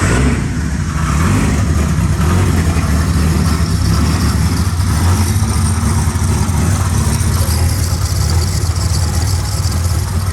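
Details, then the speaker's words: Abused turbo EF Ford Falcon with the front mount destroyed and no exhaust fitted: loud, raw, rough engine roar with a coarse low chop throughout; the engine still runs. "like I said the engine does still run um I'll just quickly start it up for you guys because it has no exhaust on it"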